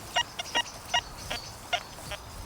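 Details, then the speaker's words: Metal detector on the Forager 2.0 program over a pasture target reading 71-72: clean high tones drop into a low, rough buzz when swept off-centre; iron target despite the good centre signal. "Instantly changes into a much lower irony type of buzz. And then let's go around this side. So it's kind of good, but then you move off it, there's that little iron buzz."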